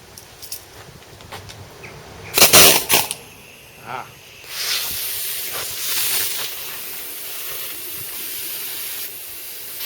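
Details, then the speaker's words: Second-hand air tool on a small compressor: taps and a short spitting burst, then a steady high hiss of compressed air leaking at the hose joint; fitting to be resealed with PTFE tape and tightened. "ah that explains that I'll put a bit of PTFE tape on that and we'll have another go"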